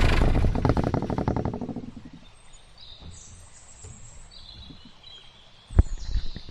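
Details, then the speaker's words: 1987 Ford F700 with the Ford New Holland 7.8 L turbo diesel at 112,000 on the clock, microphone placed up at the engine: deep, even diesel chug with steady low pulses; healthy, smooth normal running. "but I'll let you hear what it sounds like real quick just cuz I think the engine sounds beautiful"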